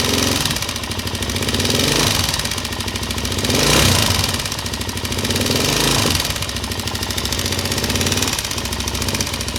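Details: Suzuki LTZ 400 single-cylinder with fast light ticking over the engine beat that speeds up with revs; ticking from the head, top-end tick.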